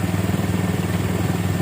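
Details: 2008 Minerva R150 SE 150cc single idling after repair, with the burnt charging socket fixed and charging at a normal 14 V with a normal rectifier (earlier complaint: slow pull, engine a bit hot). Smooth, even low putter of about fifteen beats a second, no misses or knocks: normal idle.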